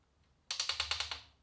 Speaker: so the problem I've been having is the past few sessions my front end has been popping when I turn the handlebars and I haven't really had a chance to take the bike apart and inspect it to make sure there's no damage